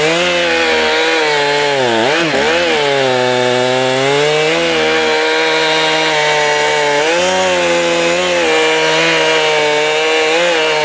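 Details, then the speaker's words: STIHL MS291 chainsaw after carburetor adjustment, screws about 1.5 turns out: starts and idles on its own, crisp rev-ups and even pitch holding under cutting load. Runs normally and responsively. "Sounds pretty good to me now. Let's do a quick start here. Idles on its own. Very responsive."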